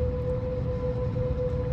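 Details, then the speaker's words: HVAC return air vent with AC or heat running: steady mid-pitched hum over low airflow rumble as air volume vibrates the vent cover's fins or louvers; fix is slightly adjusting the fins to reduce turbulence. "thank you for checking out our video so what happens is due to the volume of air passing through this type of vent cover it causes a vibration of the fins or louvers resulting in"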